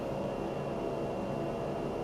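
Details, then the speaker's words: Funmily walking pad with incline, electric motor at top speed of 4 mph: steady even whir with soft low hum and a faint high tone, no knocks or rubbing; normal, seemingly quieter than most treadmills, motor possibly different due to incline. "I don't think it's quite as loud as most treadmills, but I think the motor, the electric motor on this may be a little bit different than their regular flat walking pad because of the incline."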